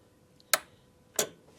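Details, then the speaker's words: 2003 Polaris Sportsman 600: two sharp crisp clicks about two thirds of a second apart as the solenoid pulls in when wired straight to battery 12 volts; clicking suggests but doesn't prove it works. "That's that solenoid clicking in. So, we should have 12 volts over here now."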